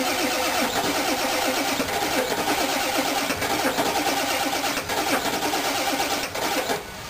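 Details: 1996 Ford 7.3 Powerstroke diesel truck that won't start below about 50°F, unplugged for about two days, glow plug relay controller already replaced: long steady cold cranking that never catches. Cold crank, no start, cause not found.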